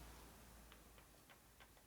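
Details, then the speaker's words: 1978 Harley-Davidson Shovelhead, cam gears turned slowly by hand after end-play setting: few faint soft ticks about three a second over near silence, previously clunking; normal cam gear mesh. "So you can see if you hear it all, it's very low. Not much. Before it's going clunk, clunk, clunk, clunk. Now it's barely doing anything. So right now it's right on the money. That's where it should be."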